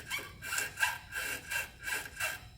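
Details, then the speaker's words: 2004 Lexus GX470 with 216,000 miles, front suspension: rhythmic rubbing creaks as a small pry bar works a worn, collapsed control arm bushing, rubber and metal squeaking, source of the front squeak. "That's the rubber. You can hear the rubber and the metal doing those noises."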